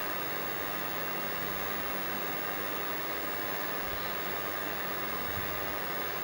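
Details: ColecoVision console running Donkey Kong, heard through the TV: steady loud hiss with no clear tone behind it. The sound adjustment screw on the RF modulator box was out of adjustment; adjusting it removed the noise.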